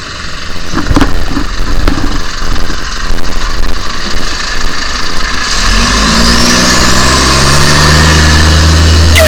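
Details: Diesel bus, rego XV 71RE, pulling away with a loud raspy exhaust note that climbs as it accelerates, from an exhaust leak.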